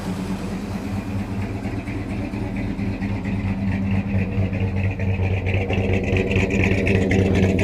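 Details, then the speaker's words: 1971 Dodge Sweptline big-block after float adjustment; crankcase filled with fuel from unvented tank pressure and misadjusted float: lumpy uneven idle steadying and smoothing, still slightly rough, blue oily smoke from passenger bank; rough idle smoothing out. "This one, on the other hand, Sounds like she's cleaning up a little bit."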